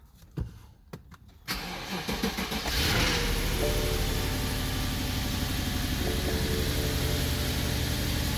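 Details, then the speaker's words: 2009 BMW 750i with 167,000 miles, warning lights on and car shaking: after starting, idle settles into an uneven lumpy beat; rough running misfire, owner plans to replace ignition coils and spark plugs, cause unconfirmed. "okay guys this is bmw 750i 2009 and i'm having some issues with the engine it's running rough"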